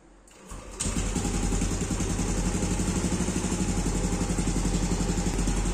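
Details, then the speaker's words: Yamaha Aerox scooter catches and settles into idle with a light, regular ticking over the putter, mild while cold; it grows to a rattle when warm and disappears on throttle. "Tapi kalau nanti udah agak panas, nanti ada bunyi agak ngeletrek. Suaranya itu saru antara bagian kanan, kiri."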